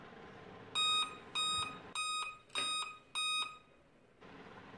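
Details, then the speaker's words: Laptop gives five short electronic beeps at power-on, a startup self-test error persisting even after the RAM was removed, cleaned with an eraser and refitted; CMOS cell replacement is planned next. "इससे beep की आवाज़ आती है। आ रहा। यह beep यह शब्द पांच बार आ रहा। हमारा समस्या यहीं है।"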